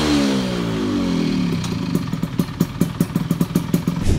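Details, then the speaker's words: Modified Yamaha F1ZR two-stroke with new ratio, PE30 carb and chrome exhaust: revs rise then fall into a sharp regular clatter about five times a second, noisy even on throttle; owner suspects worn, noisy piston. "Ya gua sih masih agak keganggu dengan suara sehernya yang udah lumayan berisik"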